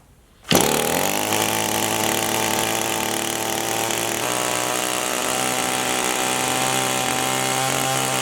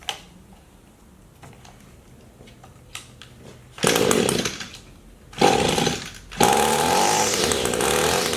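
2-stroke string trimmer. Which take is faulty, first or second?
first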